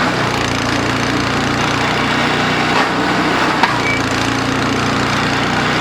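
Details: DR RapidFire PRO-XL log splitter, just back from the shop, at full throttle splitting dried cottonwood with the ram stuck: loud steady engine drone with a harsh clattering rattle throughout; the muffler later failed within 30 minutes.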